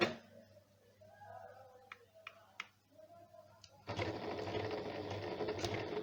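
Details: Janome sewing machine after being serviced for a running noise: a quiet start with a few clicks, then an even, steady whir of the mechanism at speed. It now runs smooth and healthy.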